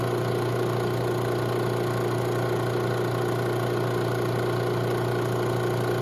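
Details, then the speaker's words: Robinair 134Z refrigerant recovery machine under diagnosis for a suspected failed compressor, new filter drier fitted: pulling vapor at about 20 psi; steady even low drone, no knocks or surges. Normal running. "Okay, so we're pulling vapor. And we're at about 20 psi here. Now, looks like this may take a little while."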